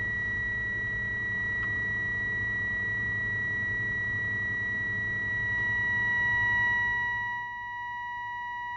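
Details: 1946 AWA 509M valve radio during alignment, tuned to 1500 kilocycles with a signal generator at 1500: a clean, steady whistle tone over light hiss, holding pitch then easing off; the set is receiving the test signal properly.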